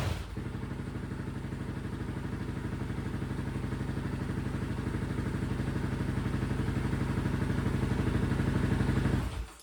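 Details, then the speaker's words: Honda TRX700 with stage three cam and Vortex ECU on map one: single cylinder runs smoothly with no misses, then shuts off; running better, but the owner is unsure whether it's lean. "this sounds a lot better I must say but I'd like to hook up an AFR gauge or something on it to be able to see that air fuel ratio to know if I'm running lean or not"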